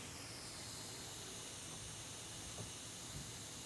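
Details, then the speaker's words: Faint, steady hiss of natural gas escaping from a corroded gas line in a house crawl space, corroded beneath a water line above it; a natural gas leak. "you hear that hissing sound if you were to hear that sound what that's telling you is that you have a natural gas leak inside of your home"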